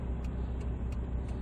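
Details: SsangYong Rexton diesel, 2007 or 2008, idling after the shop's treatment: low, steady diesel rumble with even beat, no stumbles or surging; smooth, settled idle.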